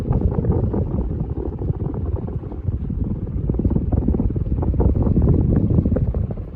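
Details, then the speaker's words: Ritz Petite ceiling fan in antique brass, later 3-speed version, recorded close-up on high: steady low whooshing air rush with no knocking or rubbing. Very strong fan running smoothly. "Anyways, I'll go and give you guys a close-up so you can hear the wind noise off the"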